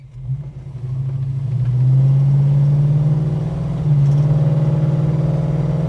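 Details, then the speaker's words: Holden HK automatic driving under acceleration: a deep drone rising with road speed, slight ping too; noise seems to come from the transmission rather than the engine, suspected not confirmed. "stributor so there's a little bit of a little bit of ping noise there but seems to be more coming from the transmission than anything else doesn't seem to be coming from the engine"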